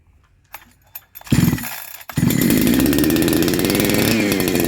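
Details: First start of a Neo-tec NH872 chainsaw (372XP clone) with a big bore kit, on a hot day. After a couple of pulls it fires and holds a steady, crisp high idle with a busy rattle and no misses; it runs fine and gets hot.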